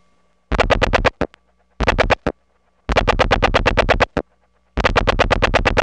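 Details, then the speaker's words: 1979 analog call from a step-by-step office over a wire trunk to a number one ESS supervision test: clean repeating ringback bursts with steady tone and silent gaps, no hum or crackle. "this call is to the supervision test and notice the pristine ringtone something you don't hear nowadays"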